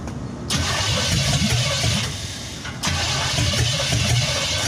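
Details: 1963 Chevy C10 355ci V8 (350 .030 over), long-unrun, new battery, timing not yet set: starter cranks in steady bursts with pauses, engine never catches. The failed mechanical fuel pump isn't feeding the carb.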